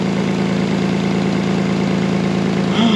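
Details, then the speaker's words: Older Toyota Highlander with loud exhaust and check engine light, idling: fast uneven puffing tick over the exhaust note from a leak spitting near the rusty O2 sensor, letting in unmetered oxygen that gives the sensor false readings; exhaust leak. "it's spitting at us that's definitely going to cause a check engine light because it's allowing oxygen in that's unmetered or unburned from the engine and it's giving that o2 sensor a false reading"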